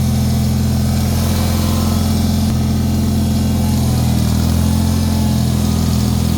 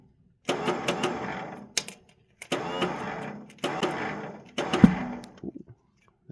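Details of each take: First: Bolens HT-23 snowblower tractor single-cylinder engine warming up for a few minutes after a hard start with worn starter Bendix: steady even low drone, no misses or knocks, running smoothly; belt slipping is a separate, unresolved issue. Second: Bolens HT-23 garden tractor cranking on first start of the year: short churning bursts with cracks and a loud backfire pop; worn starter bendix struggles to engage, later pushed into place with a screwdriver to start.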